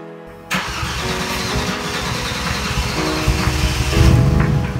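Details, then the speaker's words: Junkyard M104 engine in a Mercedes C32 after an oil change from 15W-40 to thicker Shell Helix HX3 20W-50 to cure ticking: engine fires and runs evenly, no ticking heard, music partly masking. "i got the new engine oil in there and the ticking noise seems to be a problem of the past"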